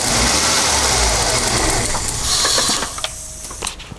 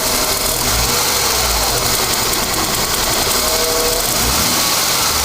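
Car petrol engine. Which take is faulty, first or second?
first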